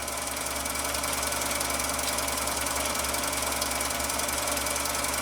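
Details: Husqvarna Viking 6430 sewing machine, formerly rust-seized, now revived: a fast, even mechanical clatter with a steady rhythm and no binding or grinding. Runs freely and healthy.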